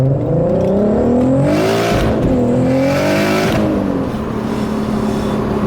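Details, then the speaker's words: Audi A3 3.2T, 515HP, 4WD, remapped Thursday with no pops and bangs mapped in; revs climb and cut on the limiter through each gear with a few sharp crackles. These are the car's own unmapped pops, which is normal. "It's them pops from through the gears, man. Yeah, that's just as amazing. it's on the limiter. That there's no pops and bangs or anything mapped into this. Any pops and bangs it does of its own accord."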